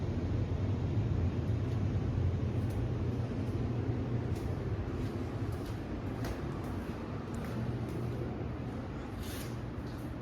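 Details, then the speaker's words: Air conditioner return air vent after adding a second 12x24 return to a 3-ton air handler: steady, low, even rush of air with no whistle or rattle; first return now much quieter, normal airflow. "Got our air turned on. Our first return air is much quieter now."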